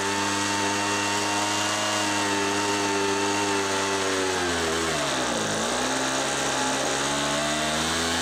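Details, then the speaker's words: Homelite MightyLite 26b leaf blower (UT08520) after Zama carburetor rebuild kit, fuel line kit and warm-up carb screw adjustments: steady high two-stroke buzz holds even, dips briefly and recovers cleanly, running smooth and strong. "I would say this was successful on those adjustments I'm actually very satisfied with how this repair went"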